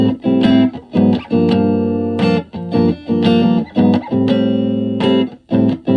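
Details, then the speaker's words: Silvertone 1431 tube amp after repair (two filter caps and power tube cathode bypass cap replaced, bias in sweet spot): clean, full guitar chords with lots of headroom, no hum or crackle. "So this amp is really clean. It's got a ton of headroom."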